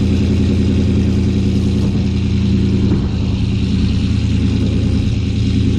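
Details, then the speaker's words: 2018 GMC Sierra 6.2L V8, slightly warm, started after Kooks long-tube header and off-road Y-pipe install, cutout closed so exhaust runs through the muffler: deep, even rumble at steady idle, no misses, ticks or knocks; normal. "we'll give you not necessarily a cold start because i did turn it on to check for any leaks again so she's a little warm right now but yeah i'll go ahead and start her up for you guys"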